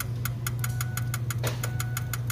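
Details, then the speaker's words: Truck no-start after swapping in a different FICM and harness: sharp even injector ticking, one cylinder (number seven or five) chattering over low cranking drone, never catching; faulty injectors, full set to be replaced. "it's the only one chattering so we're looking at injectors a full freaking set that sucks"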